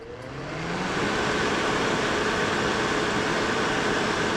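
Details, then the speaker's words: Old welder that sat in the woods for years, fired up after a new cable and plug: the fan spins up, then settles into an even, steady whir with no rubbing or rattle; power also reaches the capacitor, running normally. "I think it's running all right so it's not just the fan that's running we're also getting power throughout the entire system including our capacitor"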